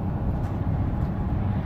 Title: The sound of a bad torque converter 2015 Chevrolet Silverado 1500. Transmission chattering